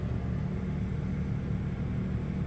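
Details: Westinghouse iGen2500 inverter generator (2200 running watts) at about 3,500 ft MSL, high density altitude, running a 15k BTU RV air conditioner on low cool in a Forest River Cherokee Alpha Wolf 26DBH-L; steady low drone, even rumble, no surging or hunting, holding the compressor load.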